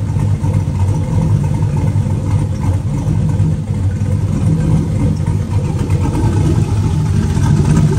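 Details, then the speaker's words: Turbo 4.8 V8 with Elgin 1838p sloppy stage 1 Trick Flow 216/220 cam, warming to running temperature: steady deep even idle with a slight lumpy chop from the exhaust, nothing super noticeable; running well, though a belt chirp is noted. "it's got a little bit of an exhaust notes to it but it ain't very you can you can only hear that little baby chop out of the pipe no there's nothing super noticeable"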